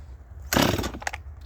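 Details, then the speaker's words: Holzfforma G255 chainsaw (MS 250 clone) during tuning: quick starter-cord rip and a couple of weak pops, fails to catch on first pull though it should have fired right up, indicating something is wrong. "that's not good what it just just did should not have done that should have fired right"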